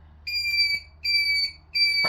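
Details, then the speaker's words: Honda GL650 Silverwing turn-signal flasher unit: shrill steady whistle pulsing on and off about every 0.7 seconds with each blink; the flasher relay is singing and sounds like it's dying, later replaced, after which the noise is gone. "I've just bought another one. So, let's see if that one's any better. Sounds like it's dying."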